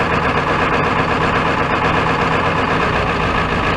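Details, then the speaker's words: Ford F-350 XL 7.3L Powerstroke turbo diesel, cold start using glow plugs; loud, rough uneven clatter held above idle on throttle, may stall if throttle released, starts worse than a Dodge: hard cold start. "I don't think it's gonna start just about has started come on baby got some gold plugs break out don't dare let off the throttle definitely a cold pink compared to that Dodge"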